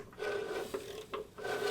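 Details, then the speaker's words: VW Type 3 engine with 200 mm flywheel in an unclearanced bell housing, turned over by hand: slow rasping scrape in uneven strokes as flywheel ring gear teeth rub and clearance the bell housing. "and you can hear it hitting material in there but this right here is actually how the old school dudes would clearance one of these bow housings out"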